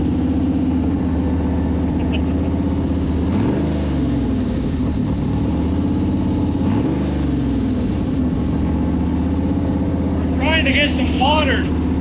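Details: Sandrail V8 after engine swap, untuned, not yet hot, idling while coolant circulates in the radiator, vacuum leaks noted; loud steady low rumble with slightly uneven beat and some pitch wander.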